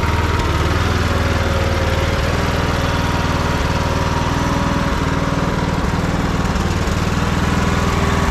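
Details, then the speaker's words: Troy Bilt Bronco riding tractor not started in over a year, running on old gas, choked at start: small single-cylinder engine settles to a steady even low thump at idle, no misses or surging; normal idle. "not running half bad for sitting so long. Old gas in it."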